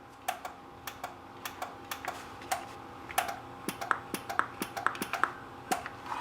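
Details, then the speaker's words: Lightning-damaged NuTone IMA4406 intercom master station with IS405 remote on bench: irregular button presses each followed by relay click-pop snaps, no audio on talk or monitor; relays work, audio dead. "and you can hear them click here. Part of what you hear is the button being pressed, but then you can hear the click. It's kind of like click, pop kind of thing. But there's no audio."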